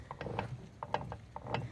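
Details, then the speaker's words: OMC Cobra / Volvo Penta SX outdrive, shifter pushed down to reverse (click heard) and driveshaft twisted by hand: light uneven ratchet clicks, nothing engages or spins, so the reverse gear has failed. "ok so now what we're gonna do just push it down alright hear that click that's reverse same direction take a look at that nothing"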